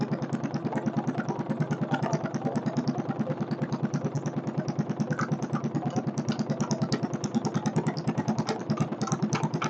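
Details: Free stationary Kohler K301 single-cylinder engine on its first start, with chainsaw gas mix added for lube and not bolted down: steady even beat, no audible knock, though the idle speed and carburetor still need adjustment. Runs healthy.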